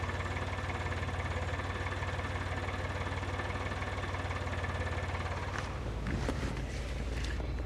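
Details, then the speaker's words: Geo car that bogs down on throttle and sounds like it is running on one cylinder: uneven, lumpy idle with an irregular low pulse about three a second, stumbling near the end; rough running, misfire. "it kind of bogged down a little bit and sounded like it was running on one cylinder and I just let it die and I went to work"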